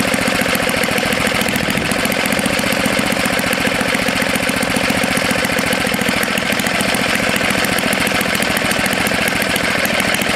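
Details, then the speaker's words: Tecumseh HS40 small engine after its jet was cleaned and the screw set about a quarter turn out. Rapid, even firing with no surging or hunting: steady, healthy normal running. "it doesn't want to shut off now yeah that's good so it's a good candidate for either the snapper snow blower or for the mini bike you"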